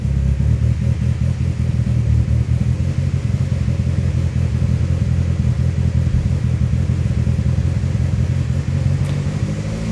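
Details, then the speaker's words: Turbo SOHC Honda Civic d16z6 (locked VTEC), cold start after readjusting loose valve clearances: lumpy, choppy low idle with no loud valve clatter; valves now quiet and running normally, idle may need adjusting once warm. "the valves are definitely not as noisy like this quiet yeah for no blood no valve noise that sounds really good"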